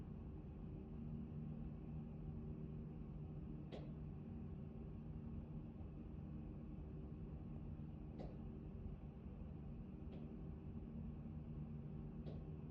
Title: Actron Neo Knocking Noise #1